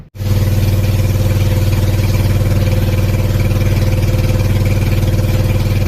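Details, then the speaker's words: Sanchin 30 sprayer pump, previously loud clattering (suspected bearing or loose connecting rod), after refilling about half a litre of oil to cover the crankshaft: steady even drone, about two beats a second, no clatter; normal running. "oke selesai permasalahan selesai tidak klepek-klotok lagi terima kasih"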